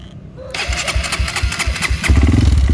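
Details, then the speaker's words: Honda CRF bored up to 200cc with 66mm standard piston, one year old, cold start after sitting two days: fires after a short crank, then uneven, lumpy chuffing about three beats a second. Owner says the noise always occurs cold and goes away; noise on cold start. "jadi udah dua hari kagak dinyalain kalau motor ini dingin baru pertama dinyalain pasti ada suara kayak gitu"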